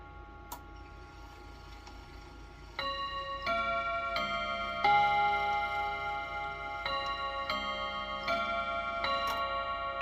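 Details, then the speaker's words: Freshly reassembled chime clock after first service, chime test: steady ticking, then a clear even run of chime notes at the half hour; chime train working properly. "So before we get it ticking, let's just make sure our chimes are working. Should be a 15. That's good. Should be a 30."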